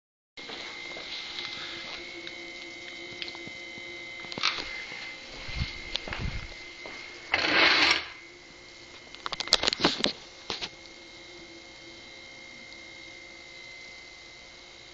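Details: Haier HNSE032BB with steady electrical hum and high whine, broken by irregular sharp knocks and clatter; compressor suspected bad, unconfirmed.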